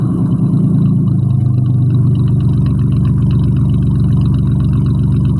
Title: Mustang V6 with duals and an exhaust leak. Cold start. 240,000 miles.